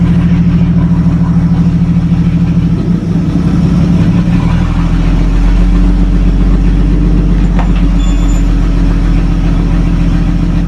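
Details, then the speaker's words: 1937 Talbot saloon 3.2-litre six-cylinder, first run since 1976 with fuel system temporarily bypassed: steady, low, even idle with a smooth firing beat, no knocks or misses; slightly smoky, oil pressure about 40 at idle, 50 with revs. "so she runs a little smoky as you'd expect oil pressure okay"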